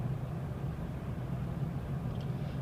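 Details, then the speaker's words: 2006 Dakota 4x4 Quad Cab 4.7L V8 automatic, coasting off throttle; only steady low road rumble, no whine, clunk or grind, unlike the noise under light acceleration near 40 mph: normal coasting. "my foot is off the accelerator there's no noise slowing down"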